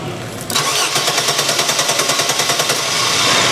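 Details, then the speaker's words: 1997 Chevy Blazer 4.3L CPI Vortec, good spark, fires on propane: steady cranking about three turns a second with no catch; no start with only 42–43 psi fuel pressure, below the 50 psi the poppet nozzles need, weak fuel pump. "So, you see this thing's not going to start with 42 43 lbs of pressure because of those puffet nozzles."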